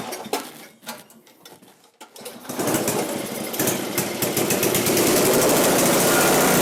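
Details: Ariens 5 hp snowblower (model 932006), bought used and started after adding gas, before a Sea Foam hot soak: a few sputtering pulls, then the small single catches and settles into a fast, even buzz; runs clean and steady, normal running.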